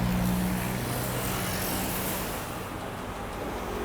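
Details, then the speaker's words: Used KING heavy-duty drill press, made in Taiwan, with a 220 V single-phase motor, new bearings, fresh grease and a 4-step belt pulley: a steady, even, quiet motor hum with no knock or grind, running normally. "มีเสียงเงียบมากเลยนะครับผมมาดูเลยอ่ะ"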